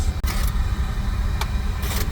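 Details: Oil boiler after a breakdown repair. A deep, steady burner rumble over a smooth fan with no surging or ticking; the analyzer check shows ppm coming down, and the burner is running clean.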